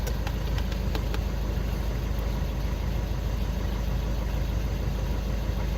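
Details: VW Golf 6 after crankshaft position sensor replacement for P0335 no-start/hard start, faults cleared: low steady idle rumble with no stumbling or misfire; healthy even idle.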